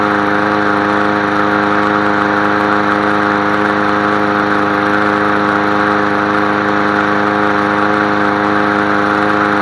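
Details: Craftsman 22-inch push mower, model 917.385320, after topping up fuel and fitting a new air filter: steady, even buzz at constant speed with no misses, surging or knocks; normal running.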